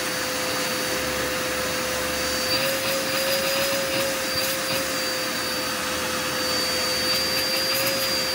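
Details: Curbside-found Dirt Devil Endura Max UD70175 vacuum after brush roll and belt refitted: even steady rushing roar with constant motor whine, no rattles or surging; running normally.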